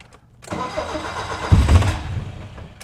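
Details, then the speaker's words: 1972 BMW 2002 in a suspected flooding condition: cranked without pumping the gas, it catches and roars briefly at full throttle to clear the flood, then fades and dies. A hard start that stalls after starting. "because sounds like she's getting into a flooding condition not even going to pump the gas on this one we'll just turn the key oh she's getting better hold on"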